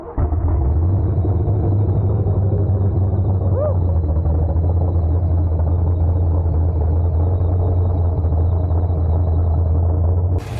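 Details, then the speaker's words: 331 V8 build in a Ford Ranger, first fire-up after idle screw adjustment, running rich while the computer learns: loud, deep, lumpy loping idle from an aggressive cam, running fine. "that is a rowdy cam it's running super rich right now"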